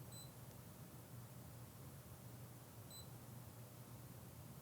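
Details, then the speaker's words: Fluke ScopeMeter 125B recorder logging thermocouple temperature, event threshold off: two short high beeps about three seconds apart over quiet room hum; beep flags each new minimum or maximum. "which means that now anytime there's a new minimum and maximum you'll hear a beep we'll press done and then f4 to run so you hear the beeping every time there's a new min and Max"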